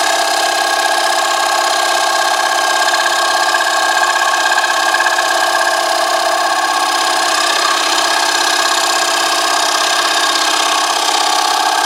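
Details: Wood lathe at about 361 rpm shear-cutting a box elder flat platter blank about nine inches across: steady rapid buzzing chatter with ringing high tones; tool chatter noise, cause unclear.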